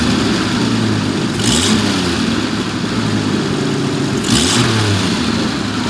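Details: 1974 Jaguar XJ12 Series II V12 now running on all cylinders: smooth climb through two quick blips, settling back to an even idle; normal revving.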